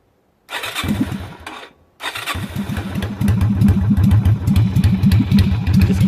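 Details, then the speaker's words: Yamaha Virago XV250 (Route 66 edition) V-twin with a new carburetor and no choke fitted stumbles and cuts out on the first try, then catches into a lumpy, uneven idle; hard starting without a choke. "in mind it doesn't have a choke at all on it so that's why it is running"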